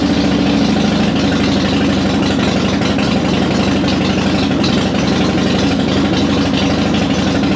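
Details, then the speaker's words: 2005 Harley-Davidson Softail Deluxe after wire-brushing both battery cables to fix slow cranking and hard starting, choke pulled: steady, even V-twin idle with a regular loping beat, no misses or starter noise; fault was battery contacts, not the starter. "glad it wasn't a starter issue it looks like it was just a issue uh on the contacts with the battery"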